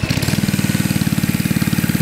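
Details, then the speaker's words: 1980s Kawasaki mini bike, 3.1 hp Kawasaki FA130 single after restoration with brand new 22mm Mikuni carburetor and fuel system: crisp, even single-cylinder beat, about twelve pulses a second, no misses or knocks; runs smoothly. "wow all right what's that brand new carburetor boys that is awesome awesome"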